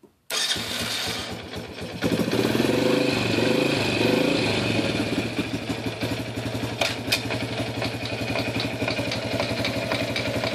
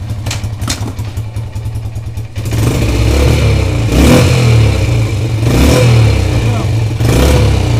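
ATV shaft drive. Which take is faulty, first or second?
first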